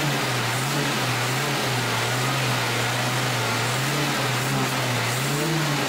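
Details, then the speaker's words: Datsun 120Y after carburetor cleaning, fuel tank drain and cleaned points; revs up and settles back smoothly several times with no stumble. Normal revving, previously stuck at idle; ignition still makes it very hard to start. "now so this this has really helped but still we have a huge issue with the ignition system because it's extremely difficult to get going but now we actually can rev it almost perfect"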